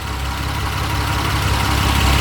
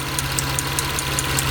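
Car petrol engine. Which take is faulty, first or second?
second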